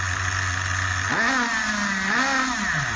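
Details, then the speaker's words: Schumacher XTR21 RC car with Pro21R nitro engine, being tuned on the bench after rebuild: high buzzing idle rises smoothly on two throttle blips and settles to steady tick-over; mixture leaned, still slightly rich, now usable tune. "not very [Applause] hot yeah I like that that's usable now as it is yeah I'm happy with"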